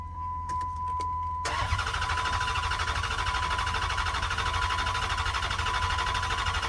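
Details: 2010 Dodge Charger during revival, cranking before fuel is added: a few chime beeps, then engine cranks over with an even, steady rhythm and no clanks; normal, healthy cranking, much better than before.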